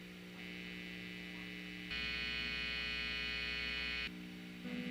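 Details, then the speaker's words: Pink Telecaster with noiseless pickups, after grounding the bridge to the volume pot to reduce hiss: constant buzzy mains hum through the amp, louder mid-clip, only slightly quieter than before; some grounding hum remains, cavity shielding planned next. "this is just me in the room same way it was before had the light on it to me it sounds just a little bit quieter not much"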